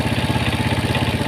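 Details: Yamaha Mio Sporty scooter, single-cylinder, idling with exhaust refitted after camshaft rocker arms (in and out) were installed and oiled, starting on the first kick; quick, even beat with steady loudness, no misses or rattles, smooth and normal after the fix.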